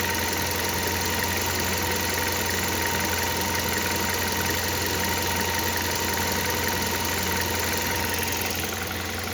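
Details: Hyundai Solaris 1.6 at fully warm idle: steady idle with fast, uneven light ticking over hum; extraneous engine noise present, source unclear and unconfirmed.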